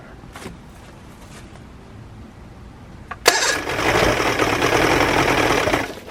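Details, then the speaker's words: Outboard on a bucket of water after new water pump install, fuel mix oil-rich: sharp crank then ragged, uneven buzz wavering a couple of seconds before fading; running rough, telltale flowing, cause unconfirmed. "Alright guys, so I'm pretty excited about this. Of course it's not running like it should."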